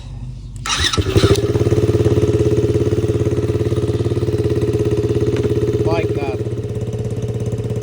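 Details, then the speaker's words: Ford Ranger 2.3 L 5-speed with a fully dead battery, jump-started with a fully charged Trekure TK50 8000 A booster pack: brief crank, then the engine fires right up and settles into a steady, even idle; normal start. "So, believe it or not, it actually cranks a little bit with the Noco, like a couple cranks, or that one fired right up."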